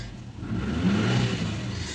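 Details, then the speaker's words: Subaru Forester after replacing the mass airflow sensor and clearing the code (previously misfire, rough idle, check engine light): petrol engine revs up smoothly and settles back with no stumble, surge or misfire, and no check engine light. "Imagine the main problem was mass airflow sensor. You see there's no any check engine on the dashboard. The engine is smooth."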